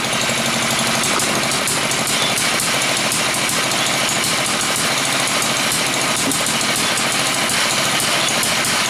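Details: Villiers MK10 two-stroke firing two sparks per revolution, running freely with rapid, sharp, fairly even crackling exhaust pops like bullets; healthy running.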